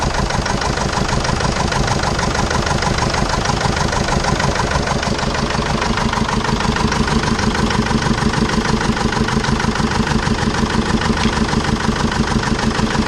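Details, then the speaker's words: 2005 Jeep Liberty CRD common-rail diesel, past overheating problem, idling on three cylinders: loud, lumpy idle with one firing pulse missing each cycle from a dead cylinder. Owner smells raw fuel in the exhaust and suspects lost compression, not the injector. "this is the 2005 jeep liberty crd or common rail diesel that i bought with evidently it's only running on three cylinders"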